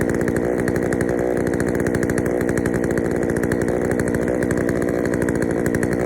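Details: Poulan 3000 chainsaw, brought in not running, serviced with old dirty fuel drained and fresh fuel added; steady, slightly burbly, uneven high-speed run with a soft rhythmic stutter, running a little rich, low-speed screw to be adjusted.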